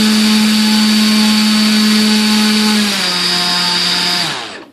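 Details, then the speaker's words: Volantex/Lanyu ASW-28 V2 sailplane with a replacement ESC, bench test. Steady high whine eases down a step, then spins down cleanly; about 262 W, 26.44 A maximum, within specs. Healthy motor and ESC. "so it looks like we're pretty decent here how many walks about 262 watts"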